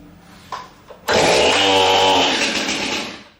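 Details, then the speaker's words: Stihl MS 271 chainsaw, first cold start after many pulls with chain brake on: one weak false-start pop, then it catches and revs hard at steady high buzz until the trigger is hit, returning it smoothly to idle. "Okay. As soon as it started, I hit the trigger and it returned it to idle."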